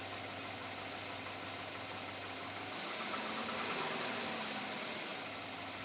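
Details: 2007 Chevrolet Avalanche at about 86,000 miles, steady idle with a light, regular tapping of about 220 a minute; owner asks whether it is engine knock or piston slap, still knocking after four dealer visits, source not pinned down.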